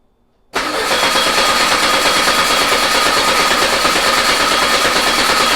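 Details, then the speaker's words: VW Beetle air-cooled engine sitting two years, on start stand with carburetor bowl primed: steady starter churning about three turns a second with no catch or firing; cranks but won't start, not even trying. "What the hell? Not even trying."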